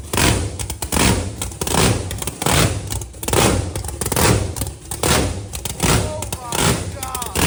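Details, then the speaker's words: 1957 Bel Air limo, blown big block (about 1,500 hp) with new equal-length zoomies: deep loud pulsing surges about one a second, even firing, no misfire, fired right up, oil pressure checked, loud at rear, quiet up front; normal running. "Holy smokes. What a great running engine, dude. It fired right up."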